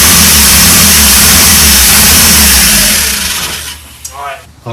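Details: 1984 Pontiac Fiero, first start in 30 years: catches and runs rough for about three seconds, then fades out and dies. Owner suspects the fuel pump, since no fuel seems to be coming through.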